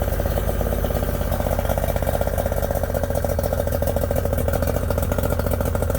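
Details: Yamaha 90hp three-cylinder two-stroke outboard, not run for a couple of months, starts right up but No. 2 (middle) cylinder will not fire despite work so far; uneven loping idle dropping a beat regularly; misfire.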